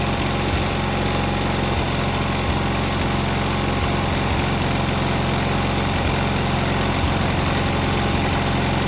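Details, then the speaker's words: Cub Cadet 682 with a Kohler KT17 twin, started by jumping the solenoid with a battery charger attached: a steady, even, low idle thrum with no knocks or misses; a healthy, smooth-running engine. "Pretty happy with it. It works really well."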